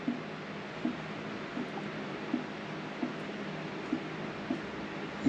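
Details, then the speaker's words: Mini Cooper after front-end work, coolant refill with the engine not yet started: soft gurgling bloops about every three-quarters of a second as the cooling system burps out trapped air. "can hear it burping itself. Bloop bloop bloop bloop. Come on."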